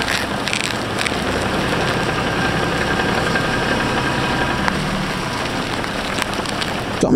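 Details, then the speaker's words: 2005 Infiniti G35 idling after replacing a blown ball joint that caused creaking: steering turned at home, no creaks, clunks or groans heard from inside the cabin. "i don't at least from the inside absolutely no noise really good condition"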